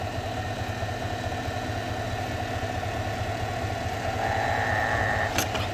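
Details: 2021 Chevrolet Silverado idling, heard through a funnel on a screwdriver touched to the idler pulley bolt; whine louder with revs, power steering pump first suspected: steady high whine over even idle growing louder, idler pulley bearing whine.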